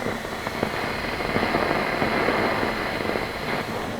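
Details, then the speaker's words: Fender Hot Rod Deluxe MKIII valve amp, camera close to the grille: irregular "frying egg" crackling and popping with no note played; owner suspects a valve, noisy resistor or noisy capacitor; speaker crackle from an amplifier fault. "it could be a valve i can hear that crackling away look beautifully now"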